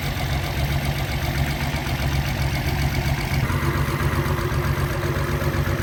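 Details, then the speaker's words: After test drive on rebuilt Solex Mikuni Type R carburetors, extra throttle return spring refitted so throttle no longer hangs: steady, even low rumble, no misses, knocks or hunting; normal idle. "Put another spring back on. It's not hanging anymore. Seems to idle really well. Sounds good."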